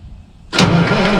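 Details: Truck sat 9–10 months, first spring start attempt in cold weather, starter wires suspected loose: sudden burst of cranking churn that never settles into firing idle; engine turns over but won't start, batteries running down.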